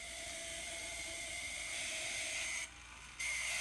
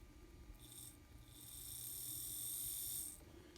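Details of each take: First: Kato N scale SD40-2 locomotive labelled noisy, running on track with a shrill, rasping gear whine, the same in reverse. Noisy gear drive, suspected to be the small plastic bearings next to the worm gears. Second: Kato N-scale SD40-2 locomotive sold as noisy, bench-tested after servicing on the lowest power-pack setting: a faint, steady high whir rises and holds evenly, then stops, with no rattle or grind; the motor now runs normally.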